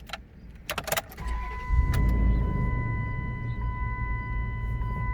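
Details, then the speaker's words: 2004 or 2006 Dodge Durango at 201,565 miles: short crank, catches quickly and settles into a quiet, smooth, even idle under a steady chime; healthy startup despite warning lights showing. "if you could really hear that that was a pretty quiet startup it definitely is smooth in my opinion definitely sounds a lot smoother than my engine at this point so kudos to that"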